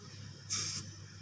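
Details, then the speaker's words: Refrigerator with refrigerant run out, compressor line cut open: two short airy hisses about a second apart as the line draws air in, indicating the leak is at the condenser. "artinya dia bocor di bagian kondensor apabila ini nyedot."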